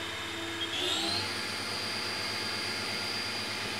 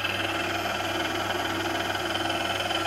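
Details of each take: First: Haas VF1 7500 rpm spindle run at 6500 rpm with the covers off, not yet warmed up, after gearbox rework: smooth, steady high-pitched whine with no roughness, knocking or wavering; normal healthy spindle. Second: Haas VF1 spindle gearbox in low gear at about 1200 rpm after gears were removed and polished: steady whirring gear mesh tones still ride over the drive, but noticeably quieter than before.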